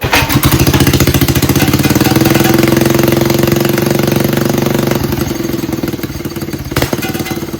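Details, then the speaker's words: Predator 212cc single-cylinder mini bike with new budget Mikuni VM22 knockoff carburetor, cold start on choke: starts first pull, settles into fast, steady, slightly uneven idle; choke seems set high, normal for cold choke. "So obviously the choke seems like it's set really high."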